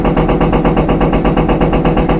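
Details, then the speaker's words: Empty front-load washer at high spin thumping and banging from the rear in a steady pulse of about five beats a second, sometimes fading at certain RPM. The cause is a bad rear drum bearing. "But that's how you know you have a bad rear bearing. At certain RPM, sometimes that noise will go away."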